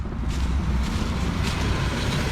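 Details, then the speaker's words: 1965 Mercury Montclair, first run after 16 years sitting on squirted fuel: deep, steady low rumble with wind noise; owner notes a slight skip, likely about to run out of gas. "listen at that car she got a little bit of a skip probably i mean she's about to run out of gas"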